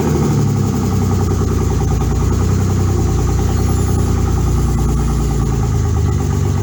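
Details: BMW after the starter and transmission were reconnected: a steady, even low rumble at a smooth idle with no knocks or misses; running as it should.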